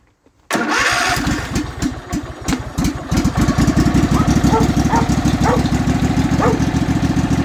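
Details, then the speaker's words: Kohler 18.5 V-twin on a Craftsman mower, cold start (about 20°C, first run of the day, key left on overnight) after a bad spark plug caused a dead cylinder and tick: quick catch, then an even twin beat with no tick. Normal cold start. "actually I'm kind of surprised it started the uh key was left on all night definitely pays to have a full-size battery sometimes"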